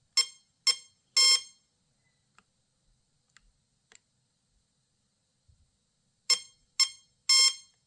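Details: Castle Creations Hydra XLX2 ESC with Wfly X9S radio on a stand during motor test setup, full trigger held at power-on: three quick shrill beeps, about five seconds quiet, three more; meaning not known.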